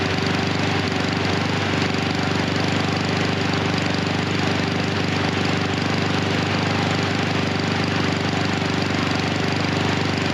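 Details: Husqvarna HU 700F mower with a choke that slips back on after the lever is pulled off. The engine runs unevenly with a lumpy, hunting beat; the rough running comes from the stuck-on choke.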